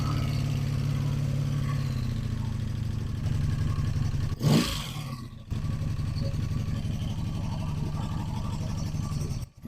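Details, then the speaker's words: 1985 Honda Magna V30 V4 motorcycle, first start after carburetor rebuild, JB-welded tank, ignition bypass and radiator install: uneven, lumpy idle with loud clattery valve chatter over a low exhaust thrum; rough running, cause not yet confirmed. "When you're close to the engine, it sounds like it's about to explode. Disgusting."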